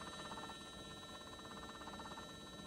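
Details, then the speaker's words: Repaired Mercedes E420 electronic throttle body on a bench test: faint, steady electric buzz with a light crackle as the motor keeps adjusting to hold the plate at an angle; normal throttle actuator buzz. "can hear a little bit of like a crackling in there that's normal that's the step that's the motor keeps adjusting to keep the plate at certain angle"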